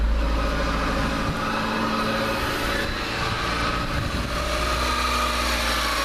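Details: 1999-2001 Mazda Protege 1.6L just after a timing belt replacement, first run: even, steady idle with no knocking or rattle, a faint new-belt noise or hum expected to quiet down.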